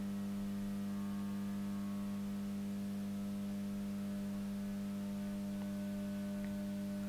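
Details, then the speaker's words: JSI-1500TL grid-tied solar inverter bench-tested on about 100–125 V DC through a variac: a steady low transformer hum with a faint buzz as the variac creeps up. The inverter tends to draw too much power from the variac; the cause is unclear. "the noise you can hear in the background is the variac creeping up"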